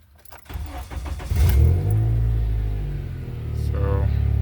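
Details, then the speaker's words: 7th-gen Honda Accord, 178,000 miles, knock sensor and cat codes: start catches and settles into a loud, raspy idle with fast puffing ticking about four a second, loud like a rabbit; big exhaust leak somewhere. "So I don't know if y'all can hear it but it's kind of loud like a rabbit. The car really warmed up."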